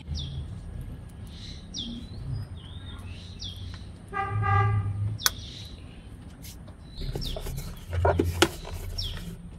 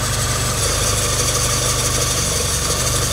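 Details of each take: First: Engine starts and runs with an even, squeal-free hum after tightening the power steering pump belt; earlier belt noise gone after a one-day test drive, quiet belt drive. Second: Engine idling: steady high hissy belt chirp over the low rumble; power steering pump belt loose, confirmed as it went silent with candle wax on the belt edges; needs tightening or replacement.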